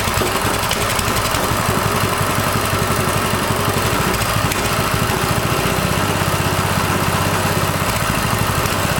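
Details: Coleman CT200U mini bike, after installing a new 3/4" GX200 crankshaft, on choke, test run: loud steady single-cylinder thrum, even firing, no knocking or rattle; running fine.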